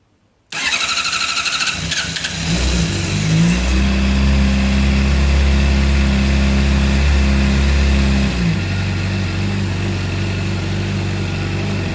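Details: Stock 2014 Honda CBR600RR, hot at 218 degrees after dealership return: about two seconds of labouring starter cranking before the engine catches and runs steadily; a recurring hard hot start the dealer calls normal.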